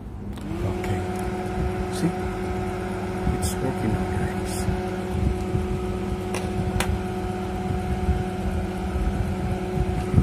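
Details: Dixell XR460C dual temperature controller repaired after compressor 1 terminal 5 had no 220V output: relay click, compressor cuts in and settles into a steady, even hum with constant pitch, running normally.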